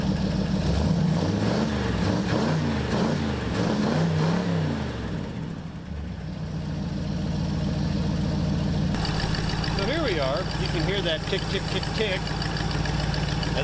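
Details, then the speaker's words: 1968 Pontiac Superior ambulance V8 with Quadrajet carburetor at idle: light quick tick three or four times a second over steady idle; exhaust leak at the choke heater tube, to be plugged. "the exhaust leak, and it is, in fact, the choke heater. Basically, that's what pulls the choke on the old school quadrijet."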